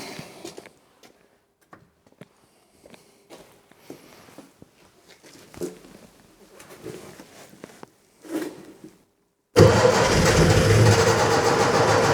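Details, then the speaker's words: Scrapyard Fiat 600, after cleaning out and refilling fuel: quiet cranking around four turns a second in short bursts, nearly firing but never running; owner suspects the carburettor is not filling with fuel properly, found pretty dry. "but it's nearly there but he doesn't just like it does it I think we're struggling because we haven't got any fuel in this carburetor I think it's not filling it up properly"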